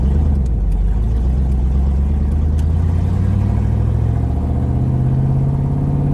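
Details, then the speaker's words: Mustang V8 after a dead battery and flooded carburetor, driving home: a deep drone climbs in pitch as the car pulls away, a bit uneven underneath; the engine runs rough, cause not clear. "you can actually hear how terrible this thing will run"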